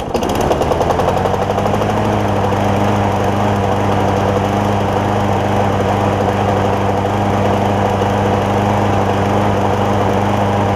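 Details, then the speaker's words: John Deere JA60 push mower, carb jet opened to 0.009 in: catches and settles into even steady beat, no hunting; no longer lean, slightly rich, 0.008 in jet planned next. "So I went up to 9 thousandths on a jet, and it got to running better. It wasn't running lean anymore."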